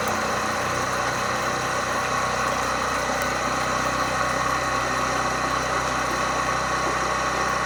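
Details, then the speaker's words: Maple sugaring vacuum pump on a sap line system, earlier pulling only about -8; after priming and adjusting the recirculation valve, a steady hum with faint airy hiss as the pump starts drawing air, gauge reaching about -21 to -21.5. "là on entend que la pompe commence à tirer de l'air ça - 21"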